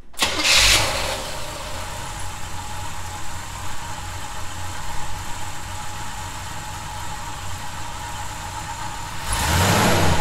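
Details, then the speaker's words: 1971 Chevy C10 restarted after snugging loose fasteners for a suspected vacuum leak: cranks, catches quickly and settles into a steady, even idle. The earlier definite whistling noise is gone. "i don't hear it was a definite whistling noise"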